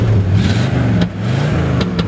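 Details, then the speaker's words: 1972 Oldsmobile Cutlass 442 V8: deep, even rumble rises and falls smoothly with throttle, no knocks or misses; engine sounds great and runs very smooth, normal rev. "nice so I've got a great sounding engine"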